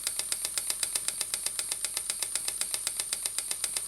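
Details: Stuart "donkey" steam water pump model, 6 cm3, no crankshaft, rated 40–400 strokes per minute, run slowly on a small air compressor. Crisp, quick, evenly spaced valve and piston clicking with no knocks or misses, so the pump is running healthy.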